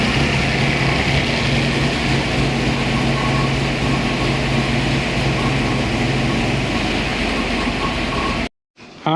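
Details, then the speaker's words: Boss 429-style Hemi-headed 429 stroker Windsor Ford V8 on dyno, 93 octane pump gas, initial run-in: strong steady roar at constant speed, even low drone, no knocks, ticks or misses; no leaks, runs clean. "wow i don't know how well you can hear this but this sounds like music so"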